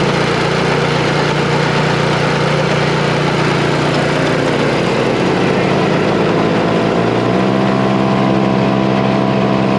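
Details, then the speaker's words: Neglected snow blower brought back to running: the small engine runs steady with a rough flapping rumble that shifts pitch partway through, from a worn, maladjusted drive belt. "looks like the belt is mal-adjusted we kind of knew that that was making noise before"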